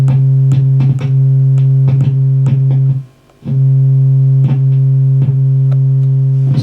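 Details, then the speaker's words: Marshall JCM900 amp with low-volume distorted output, after spraying the jack switches: a steady note with scratchy crackles cuts out completely and returns as the contacts are pressed; intermittent jack contact not cured by cleaning. "that's gone the sound's gone completely now i'm just seeing pressing these down"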